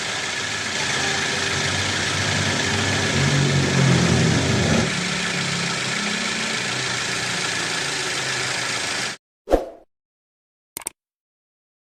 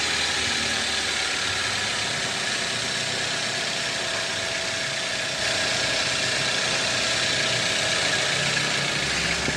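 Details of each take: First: Toyota Avanza 2010 engine after repairing the damaged crankshaft pulley (rubber damper worn, causing rubbing noise at front of engine) and replacing the seal: engine starts and settles into a smooth, even idle with no rubbing or knocking, then shuts off cleanly; normal running. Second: 2010 Toyota Avanza 1.3: steady harsh scraping hiss at idle from the engine front; crankshaft pulley's rubber damper failed so the wobbling pulley rubs the CKP sensor housing; crankshaft pulley rubbing.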